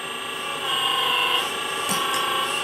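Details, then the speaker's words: RC4WD Earthdigger 360L 1/14-scale RC hydraulic excavator, new setup after filling with hydraulic fluid and topping up: hydraulic pump motor switched on and arm worked; steady high-pitched electric pump whine rising briefly as arm moves, smooth and even; normal hydraulic pump operation. "Okay, added a bit of fluid. Again, we'll turn on the hydraulic pump, arm,"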